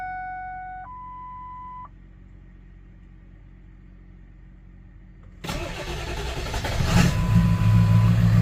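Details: Ford 7.3 Powerstroke diesel that cut out and wouldn't start, after fitting new crankshaft position (CPS) sensor: dash chimes, quiet pause, cranks, catches quickly and settles to steady even idle; repair appears successful.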